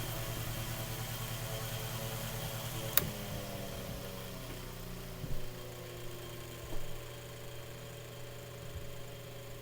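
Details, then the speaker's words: Mainstays 9-inch high-velocity fan on high speed after servicing: oiled, blade balanced, motor inspected. Steady even whir with a low hum and airy hiss, no rattles or scraping; moves a lot of air and runs normally. "this thing's definitely moving a lot of air you here making noise so that's on high speed"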